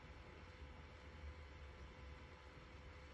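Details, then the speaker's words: Hikvision unit after fan replacement: faint low steady whir without ticking, scraping or buzz; noticeably quieter than the old intolerable fan, normal running. "when i listen to it now it is somewhat quieter um it is somewhat quieter yes definitely it's quieter"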